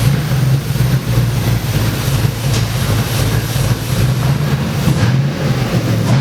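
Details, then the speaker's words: F100 on a Crown Vic frame swap, V8, first start: deep idle with an uneven, lumpy low beat that never settles; rough idle because the mass airflow sensor was left unplugged. "the rough idle that it had on it I didn't have my mass airflow sensor hooked up the one thing I has the one thing I missed that's huge"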